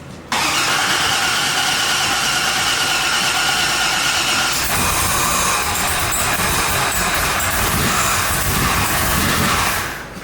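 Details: 2002 Silverado 1500HD rebuilt with a big cam and ProCharger, cranked with the blower kit's mass airflow sensor merely set on the intake tube: the starter grinds steadily for several seconds with a rough change partway through, but it never fires. Cranks, won't start; cause suspected.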